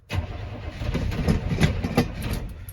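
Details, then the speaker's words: 1985 Chevrolet C10 engine, oil just drained (a little water in it), belt off: starter churns at a steady beat with a couple of louder catches, fires for a second but never runs on its own. "if y'all heard but it fired for a second there so close"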